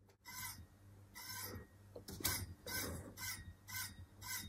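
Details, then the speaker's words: Uppababy Ridge stroller wheel turning with a rhythmic high scraping squeak about twice a second: dynamic handbrake adjusted too tight, so the calipers rub the brake disc, right out of the box; fix is the side adjustment screws. "And what this means is that the brakes are too tight, essentially, on the dynamic handbrake. So the calipers are touching the brake disc."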